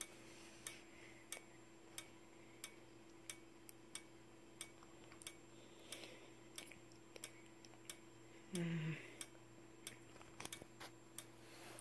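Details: Simplex 4903-9219 strobe, 15 candela, 60 flashes per minute: thin steady high whistle from the charging capacitor with a sharp tick at each flash, roughly every two-thirds of a second; strobe working normally.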